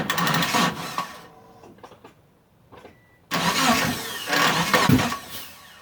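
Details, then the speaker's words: Mitsubishi Eclipse restarted after sitting about 8.5 years, fuel pump now primes, spark and fuel present, timing checked; two bursts of starter cranking, never fires; battery sounds weak from sitting, and owner suspects the crankshaft position sensor. "ah hook up the battery charger because it sounds like the battery's dying out on me yeah the battery's been sitting for a while"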